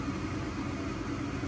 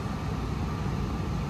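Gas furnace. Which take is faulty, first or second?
second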